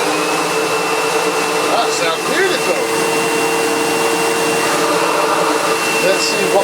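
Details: Sebo Automatic X1.1 950 W upright vacuum, heavily used and reported not working, switched on before refurbishment: steady, even motor whir with a clean, constant high tone and no rattles or surging; runs normally.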